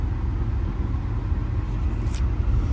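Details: 2012 Ford F150 3.5L EcoBoost with 296k miles, at operating temperature with AC on, being revved during coil-on-plug testing for random misfires: deep, even rumble with no stumbles, pops or dropouts; all cylinders firing cleanly.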